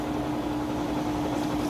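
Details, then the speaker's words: Whirlpool HE washer, 3 years old, on the third (high-speed) spin with the drain pump running: a steady, even hum with one constant tone and no thumps or rubbing. Normal, smooth high-speed spin. "The drain is also running as it spins. And the cool part about this is it gets the maximum amount of water out of these clothes."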